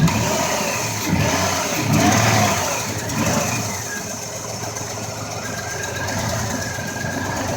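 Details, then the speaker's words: 2004 Ford Escape that had a cylinder 4 misfire, after the spark plug and Timesert repair. Steady, smooth, even idle with no ticking or puffing; no more misfires. Normal idle. "so one minute later we got good reading is running real smooth no more one more misfires"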